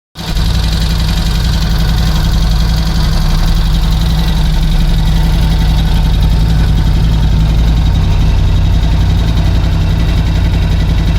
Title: Piston Slap Ducati Scrambler 1100 Special 2018 - Before replacing the horizontal cylinder and piston